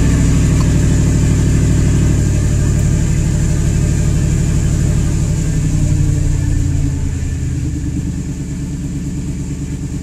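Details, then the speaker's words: 1998 Ford F-150 5.4L Triton V8, after fixing a vacuum leak (replaced elbows and hose) that caused rough idle and stalling: steady, even idle easing down slightly as it settles, sounding good. "that's pretty good and it sounds great"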